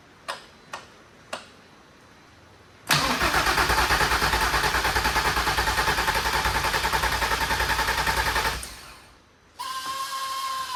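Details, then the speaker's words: VW R32 long-sitting, after fixing valve damage, first crank on battery with no coolant: dry rhythmic cranking about three turns a second for five seconds, no firing; turns over without pistons hitting valves, but no start. "That sounded terrible. Turned over though. Didn't hit any pistons, so I'm happy about that."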